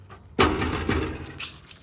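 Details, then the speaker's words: 2020 Ford Edge, about 4 years and 40,000 miles: hand taps on the heat shield by the catalytic converter set off a tinny, buzzing rattle. It is a loose exhaust heat shield; the owner is unsure it explains the flutter heard in the car. "There's this sound of rattling from this heat shield."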